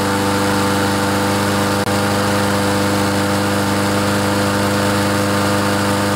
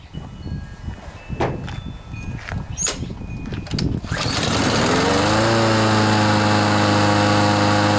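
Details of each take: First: Troy-Bilt TB130 mower with Honda engine, after clearing water from fuel and carburetor; steady drone staying low, not revving up, governor spring too slack, fixed by tightening spring with pliers. Low engine speed from loose governor spring. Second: Troy-Bilt TB130 mower with Honda engine, after fixing water in fuel and cleaning the carburetor, governor spring tightened with pliers to raise revs: a few pulls, then it catches and holds a steady even drone at higher speed; normal running speed.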